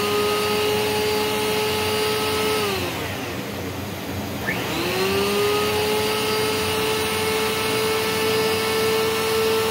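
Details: Rainbow PN-2 power nozzle, used with a Rainbow D4C SE canister, after repacking dry roughly 7-year-old brushroll bearings: steady, clean whine that winds down and comes back to even pitch, with the earlier squeal gone; brushroll runs smoothly.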